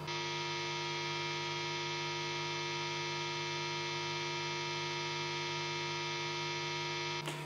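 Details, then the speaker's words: Guitar rig with two other recording amplifiers: a steady mains-pitch hum from the guitar itself that gets louder as the guitar is turned up, then a thump. "there's another humming sound from the bottom of the guitar, when I turn it up it's loud."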